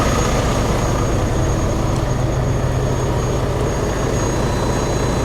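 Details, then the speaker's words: 2021 Hyundai Venue cranked on booster pack with water in the engine, feared locked up: steady labored slow cranking, two or three strokes a second, dragging and uneven as the starter fights water in the cylinders. "yeah there's the booster pack beeping it's cranking there's water in the engine we should not be cranking this car"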